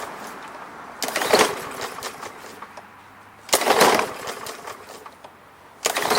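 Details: Briggs and Stratton lawn mower (MTD), no primer bulb, oil clean but slightly overfilled: three short pull-cord cranks a couple of seconds apart, engine spins but never fires; no-start, owner suspects the carburetor may need cleaning.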